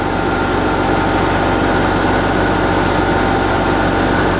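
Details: 2001-06 Hyundai Santa Fe idling after an alternator replacement, with the battery reading about 13.6 V; steady, even idle hum with no knocks, squeals or misses; engine and charging system sound healthy.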